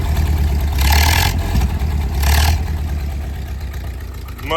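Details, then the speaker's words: 1929 Ford Model A hot rod, flathead four, Stromberg 97 carb, Tattersfield intake, Model B distributor: deep lumpy idle with two short throttle blips; exhaust loud but clean and even, much quieter than it was. "better, actually much quieter overall than it was. I mean, it's still pretty loud, but definitely better."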